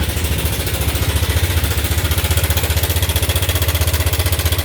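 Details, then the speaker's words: Yamaha Nmax scooter, no engine warning light, before rebuild: loud fast even clatter about four beats a second over idle, heavy mechanical knock. Worn engine top and bottom end. "อ่าเราก็รับรถคันนี้มาจากลมคำแหง24นะครับเบื้องต้นนะครับก็เสียงประมาณ[เพลง]นี้รถไม่มีไฟเครื่องโชว์นะครับแต่"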